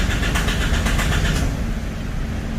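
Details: 2012 Isuzu D-Max 4JJ diesel that stalls by itself at idle, new rail pressure sensor fitted: starter cranks at steady low churn but never catches; unstable rail pressure, supply pump diagnosed faulty.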